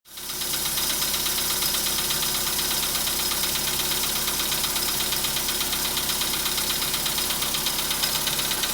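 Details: 2015 VW Polo Sedan, 91,315 km, cold start at about -10°C; idle carries a dry, rapid metallic clatter about three knocks a second while cold, longer in winter, nearly gone once warmed; cause unconfirmed.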